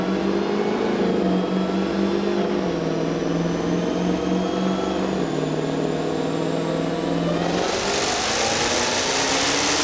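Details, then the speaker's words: Supercharged Dodge Challenger V8, about 1000 hp: loud, raspy roar pulling up through the revs, steady and rising, with no knocks or misses. Made 847 hp and 868 lb-ft on the first pull; healthy. "that is definitely one rowdy vehicle that's pretty mean"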